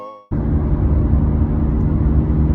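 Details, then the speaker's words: Caravan driving on the road: a steady, low droning hum under the road noise whose tone changes with speed, from worn rear wheel bearings that have no wobble; the bearings were replaced. "This is the sound coming from the wheel bearings. I don't know if you can hear it. Here, I'll speed up, you'll hear the tone change."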